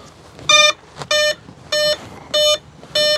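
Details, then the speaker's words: Flex Innovations RV-8 10E 1280mm electric RC plane, battery plugged in with throttle cut on: five clear, identical mid-pitched beeps about a second apart, the normal ESC startup and throttle-cut check, tested good. "and you hear the normal startup procedure checking the throttle cut it is tested and good"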